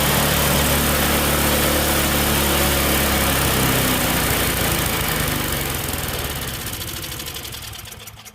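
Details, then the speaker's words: Tecumseh-engine snowblower after a carb clean: high, fast buzzing run at the lowest throttle setting that never settles to idle before shutdown. Over-revving possibly because the governor linkage was hooked into the wrong hole; the governor spring was also suspected. "try it again well definitely a Reb's High that's really the lowest it goes from that Governor's spring maybe so not anymore"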